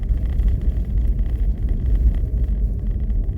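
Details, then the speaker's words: Renault Duster driving with a cold cabin after fitting a rubber strip to the dashboard: only low road rumble, no creaks or crackling from the dash that were there before; fixed. "господа просто тишина вы можете видеть там на краешке видео есть что я передвигаюсь за моей спиной меняется скажем так картинка господа полная тишина в салоне нету скрипа нет тут потрескивания характерного такого который был ранее до резинки"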